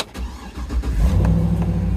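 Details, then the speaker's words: Truck at auction, previously dead, now has power: brief crank, quick catch, smooth even low V8 rumble settling into idle, likened to an old Tahoe; healthy start, with brake, check engine and tire pressure lights on. "God sounds like the old black mamba man sound like my old Tahoe to Black Mamba"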